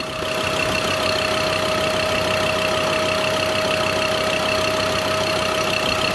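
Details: Rebuilt Ford Ranger diesel engine idling on its inaugural start: steady, even idle with bright clatter, no knocks; loud without the engine acoustic insulation cover, much quieter with it. Normal idle.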